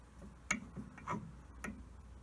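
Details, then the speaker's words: Loose metallic clicks and knocks as a shaft is rocked by hand in its worn bronze bush, heard during strip-down of the main feed gearbox of a Holbrook T13 tool room lathe; excess clearance, fix planned with a new oversize shaft. "So they're the 2 pieces brought together. You can hear them rattling around. It'll run like that, but I'd rather have it whilst I've got it all in bits, sort the problem out."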